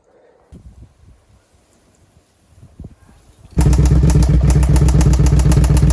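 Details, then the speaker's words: Suzuki SV650 V-twin, after adjusting a loose rear cam chain tensioner: fires into a heavy rough beat with a dull knock and runs badly, now barely starting. The owner suspects damage was done and plans a full engine rebuild. "so this engine here is definitely [ __ ] [ __ ] because now it's not even running properly anymore like at all it's not even really starting anymore"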